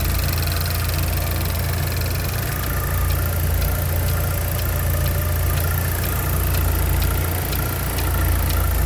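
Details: 2012 Buick Regal GS at idle with light, fairly even ticking about twice a second over a steady idle; source of the clicking unclear.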